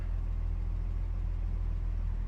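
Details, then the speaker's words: 1969 Mercedes-Benz 280SE W111 coupe, 2.8 L straight-six, idling just after cold start, temperature ice cold, good oil pressure: smooth, even low rumble with no knocks, misses or ticking; healthy cold idle. "Temperature's ice cold. We got good oil pressure. We will warm her up a little bit and we'll be back to you."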